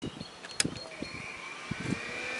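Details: 2005 Honda Rincon ATV with 300 miles: rough gritty grinding from the engine rising with each throttle blip over a buzzy single-cylinder idle, cause unknown; grinding noise under throttle.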